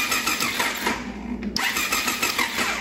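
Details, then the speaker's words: 1999 Triumph Daytona 955i parked for years, battery low from always-on headlights: starter churns at about three beats a second with only scattered firing, never catching; intermittent spark, owner suspects a bad ground. "also we're getting intermitten spark uh let's crank this over and you can see"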